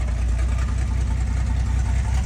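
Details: Valiant Safari wagon, engine sat a while, no muffler, exhaust straight out the extractors: loud, raw, lumpy beat at steady idle with even firing; normal idle.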